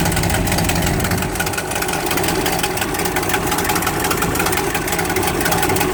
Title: Exhaust leak 2